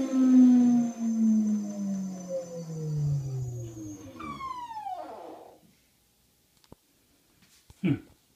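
A loud, siren-like whine with ringing overtones comes from the washer on spin, then glides down as it slows.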